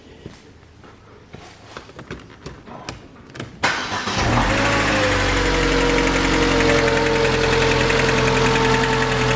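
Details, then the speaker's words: 2006 Mercedes A150 W169 after bypassing the open-circuit wiring to cylinder 4 injector: starter cranks, engine catches and settles into a steady, even idle with no stumbles; misfire gone. "See, the misfire stopped. It's not misfiring anymore after bypassing these 2 wires."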